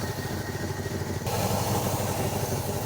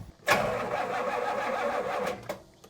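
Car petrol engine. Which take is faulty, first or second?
second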